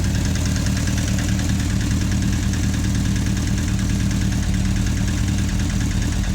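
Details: Suzuki GSF 650 idling with a fast, even top-end clicking; persists unchanged after a valve adjustment, and one camshaft cam was slightly more worn than the others, possibly related.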